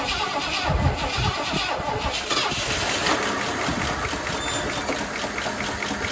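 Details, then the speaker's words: 1979 Lincoln Continental Mark V carbureted, fresh start: fast light clicking over an uneven idle, owner suspects lifters not yet pumped up with oil; some smoke, possibly oil on exhaust manifold; hesitates on throttle, no knocking. "Little clicking there, but I think those lifters have to get pumped up."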